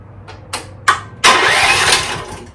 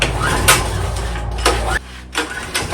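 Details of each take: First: 2024 Chinese stand-behind skid steer, after a 30 A fuse replacement: three short separate bursts on the key before the engine catches at about 1.25 s, using a bit of choke. A delayed start; the owner suspects a weakening starter, unconfirmed. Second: 2024 Chinese stand-behind skid steer, about 60 hours, small engine pull-started with key on and a little choke because the electric start is failing (owner suspects the starter): a few recoil pulls, then it catches and runs steady and even; engine healthy.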